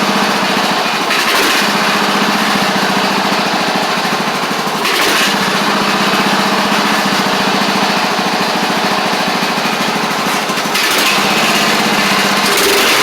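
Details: Craftsman DYT4000 riding mower after sitting about 2.5 years, started with only fresh gas and a little choke (choke was stuck): steady even drone with a quick, slightly uneven beat, no knocks or misses; sounds good. Normal running.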